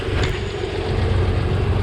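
Steady low rumble with an even, unbroken beat and no knocks or rattles over outdoor background; engine sounds healthy at idle.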